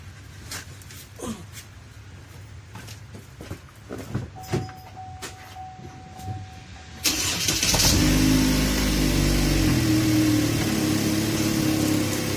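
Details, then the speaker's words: 2015 Cadillac ATS 2.5 after rear differential replacement, CV axles, differential supports and driveshaft coupling tightened: engine catches and settles into an even, steady run in gear with no roar or whine from the rear; normal drivetrain operation. "all right all right i sound like it's fixed cool"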